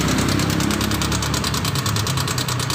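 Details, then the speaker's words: Honda Vario 150 scooter, engine suddenly noisy for a week, head opened to check valves and cam chain: fast even metallic ticking over steady idle from the valve, camshaft and cam chain area; cam chain tensioner noise. "Suara antara di bagian klep dan noken dan rantai keteng a"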